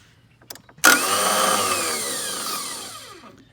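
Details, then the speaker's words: Toro TimeCutter zero-turn mower with failing starter: click then sharp high whirring spin winding down without the engine catching; takes many tries to start, wiggling starter sometimes helps. "anyway this is the sounds that it makes when you have a bad start here at spin"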